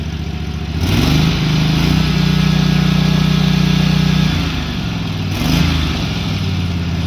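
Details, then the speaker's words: SCAG SWZT 52-inch zero-turn mower twin after fitting a new carburetor, which replaced one that ran rough and backfired quietly at full throttle: picks up revs cleanly, holds evenly, drops back without stumbling; normal running, idle good. "all right so i have that new carb on there and this thing's running much better it runs perfect"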